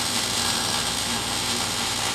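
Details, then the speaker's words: MIG welding a hole in a muffler; steady, even crackle and sizzle like frying bacon with no pops or sputtering, a clean, well-set weld. "That sounds pretty good. Sounds like frying bacon."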